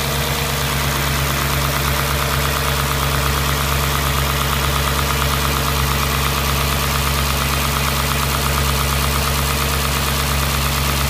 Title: S4 B6 Motorgeräusch 2